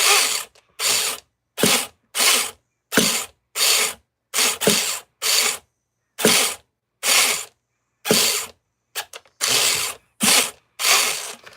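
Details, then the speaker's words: Nitro RC truck being started with its roto-start; repeated short starter whirring bursts about once a second, engine never catches. Owner suspects a badly slipping one-way bearing gives too few rotations, not confirmed. "I just don't think I'm getting enough rotations out because that oneway bearing spinning so damn bad."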